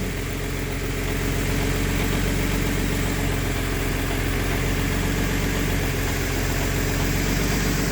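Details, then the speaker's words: Jaguar AJ30 V6 with a VVT conversion and Arduino-run IMT control, at idle: a slight quick tapping over a steady idle from the cam B actuator, even after the VVT actuators were swapped. A VVT reset clears it. Owner suspects the valve itself. "You hear this slight tapping noise? There we are. After a slight pause, the system does a reset. And that gets rid of the rather annoying cam actuator racket that happens over there."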